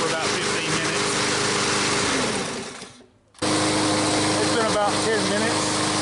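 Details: Brand-new MTD mower's Briggs & Stratton engine after a cold start, stiff valve stem freed (assembly lube): high-revving steady buzz that cuts out briefly, then returns smooth and even; running normally.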